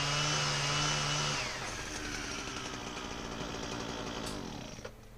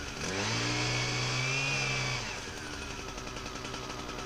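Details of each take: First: Husqvarna 122HD60 two-stroke hedge trimmer test run after service: steady high buzzing note with fast even cutter chatter; cutter works properly, though engine runs not that well, possibly old fuel. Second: Husqvarna 122HD60 hedge trimmer test run after cleaning debris: small two-stroke buzzes, then pitch sags and wavers unevenly. It runs rough and needs a tune-up; possibly old fuel.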